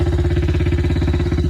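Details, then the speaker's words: Yamaha TTR90 after top-end rebuild with new piston rings, first kick-start on flat battery: quick even four-stroke thumping with no misses or knocks, running cleanly, no smoke. "let's give it a go I didn't even feel like it engaged and she's running"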